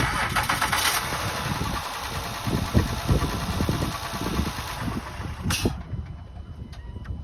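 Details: Honda Pilot, first start after a timing belt replacement: cranks, catches quickly and settles into an even idle with no knocking or rattle. Normal start and idle.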